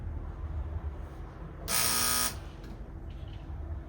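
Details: Teletype Model 33 KSR at power-on, motor bearings showing some play: a half-second loud, harsh electric buzz, then quiet. A noisy motor, possibly from worn bearings.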